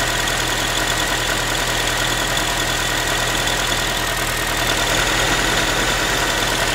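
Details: Ford Focus 3, 1.6 (125 hp) engine idling after a cold start: a quick tinny, can-like rattle of roughly three beats a second over the engine hum; source unclear, owner asking what it is.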